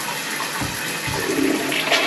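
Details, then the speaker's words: Toilet in an Airbnb bathroom whose flushes had backed up into the shower drain, flushed after drain cleaning and warm-water flushing to test whether water still comes up the shower: strong rushing flush, steady gurgling drain, no back-up. Drain line clearing normally. "and just in this bathroom so if we flush the toilet now it won't come up the shower let's find out"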